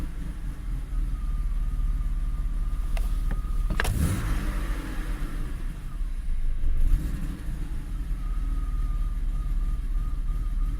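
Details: BMW E34 with M50B25 Vanos engine, rough idle: low rumble wavering and lumpy, with shaking, vibration and stalling despite replaced plugs, coils, MAF, sensors, injector, O2, ECU, TPS and fuel line, fuel pump pressure 3.2 bar, no air leak.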